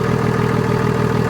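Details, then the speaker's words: BMW F11 535d M Sport Touring diesel, off the road for 3 years, first start: idle with an unusually loud, rough, hollow intake roar. Owner suspects the air filter isn't fitted properly; cause unconfirmed. Loud intake noise at idle. "Sounds almost like the air filter's not on properly or something. That's very strange."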